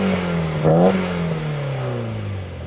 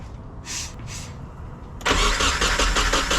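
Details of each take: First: Nissan 240SX drift car after swap to a replacement KA24DE with healthy compression: engine snaps up to redline and falls back smoothly with no stumble, miss or rattle, and no exhaust smoke; clean, healthy rev. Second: Nissan 240SX with a freshly swapped replacement KA24DE at its first start: two long, steady cranking runs of about four seconds each with no catch. Slow to fire, extended cranking; it later ran and seemed healthy.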